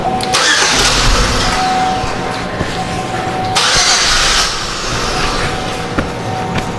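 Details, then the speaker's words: 2005 Chevy Equinox 3.4L with the main relay reinstalled after its damaged wire was repaired: a cranking churn that catches into a steady running engine with no stumbling, starting and running normally. "all right let's get the relay in here and this vehicle should start"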